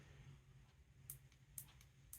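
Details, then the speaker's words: New replacement tactile switch on water-damaged vintage Laserdisc player board: a few crisp firm clicks, harder and noisier than the lighter original, middle force tension, working properly. "that one's a little harder and noisier you can you can buy these in three different uh force uh tensions there"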